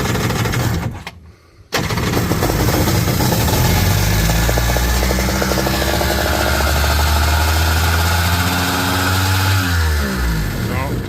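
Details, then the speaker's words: 2001 Kawasaki ZXi 1100 jet ski: catches after a pause, fast high idle, revs climb by themselves then die away; runaway idle, owner suspects air leak at carburetor base and idle set too high, new carb gaskets planned. "so that means I've got an air leak probably at the base of the carburetor sucking air or something well the idle set way too high on it"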